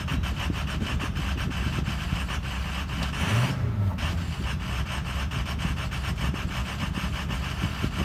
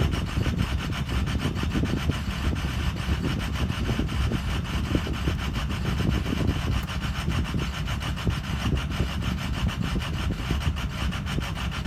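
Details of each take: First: Ford Excursion 6.0 diesel with intermittent rough idle: deep uneven clatter that wavers and briefly stumbles, then settles down to normal. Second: Ford Excursion 6.0 diesel with an intermittent rough idle: a rapid, rasping clatter that settles partway through to a smoother, quieter normal idle.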